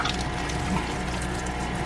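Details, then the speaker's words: Van conversion sink water pump on a 14 V switch panel, first test with little water poured in the tank: uneven gurgling hum with splashy bursts from the tap, sputtering as it sucks air; it also drips. "Let's go. It's sputtering cuz there's not that much water in there, but we did something right."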